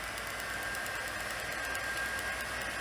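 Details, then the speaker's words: Sony SL-C5 Betamax, rewind after fixing a rubbing rewind fault where the spool was touching: soft, steady whir with no rubbing or scraping; rewind now smooth and healthy. "Lace it up and press rewind. Yeah, you see that's a lot better."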